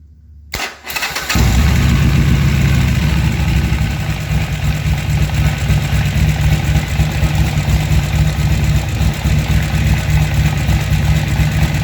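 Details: Harley-Davidson XR1200 V-twin after new throttle position sensor, intake seals and O-rings: cranks, fires and settles to a steady even lumpy idle; idle fixed.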